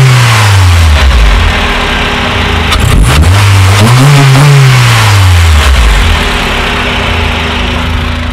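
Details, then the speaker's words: Widebody Honda Civic EP2 with an open airbox; revs climb and fall twice with a deep, loud intake roar following the throttle; big difference in noise, sometimes too loud; normal open-airbox intake sound. "it makes a lot of difference it can be a bit too loud sometimes but you know you can get there obnoxious but yeah that's the fun of it isn't it"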